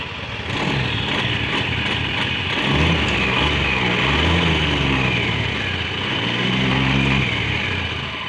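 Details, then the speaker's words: Honda Scoopy that loses power (only 20 km/h uphill) and grinds from the CVT at 30–50 km/h. Here the engine is revved: smooth, clean rise and fall with no delay or hiss. The engine itself is normal. "Suara mesinnya masih sangat halus. Masih sangat halus. Tidak ada masalah dengan suara dan tidak ada gangguan ."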